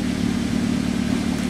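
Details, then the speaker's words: 2010 Toyota Avanza after the fault was fixed: check engine lamp off, idle down from over 1200 to 1000 rpm, and expected to reach about 900 rpm when warm. Steady, smooth low hum with no knocks or misses, a normal idle. "Nah sekarang mesin sudah hidup, check engine-nya sudah mati, berarti mobil ini sudah normal kembali. Kemudian RPM-nya sudah turun."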